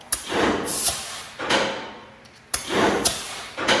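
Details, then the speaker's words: Used car lift in shop, air lines plugged into the hot-wired lock valve: sharp metallic clunks in pairs about a second apart as air lifts and drops the lock teeth; safety locks engaging and releasing normally. "So the next thing I did is I plugged in these air lines into this valve, and then you can actually hear the locks coming on and off."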